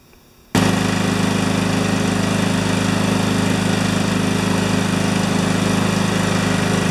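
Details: John Deere STX38 yard tractor after ignition switch replacement, started to check battery charging: after a moment of quiet the small engine fires and settles into a steady, even putter with no knocks; runs normally.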